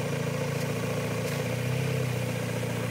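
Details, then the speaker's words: Mazda Miata idling lean with a deliberate vacuum leak at a vacuum nipple; when solvent is sprayed on the leak the idle briefly lifts as unmetered fuel richens the mixture, confirming the leak location. "the engine speed came up because right now it's running lean but when i spray some solvents in there it runs rich for just a moment because i'm introducing fuel essentially and this is unmetered fuel so it will rev up just for a brief moment"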